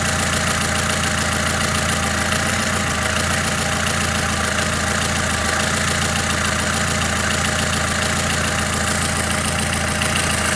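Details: Lada Kalina, warm engine at idle (runs unevenly when cold): light, quick ticking tap riding over the idle, source not pinned down; engine tapping noise.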